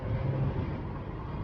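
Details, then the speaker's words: 2013 Ford Taurus Police Interceptor driving with a steady low road and engine rumble, no grinding or vibration, after tightening a half-backed-out drive shaft/transmission mount bracket bolt with thread lock; grinding gone, runs smooth. "Now the car running fine. I mean, I can't hear nothing. And the car so damn smooth it is scaring me."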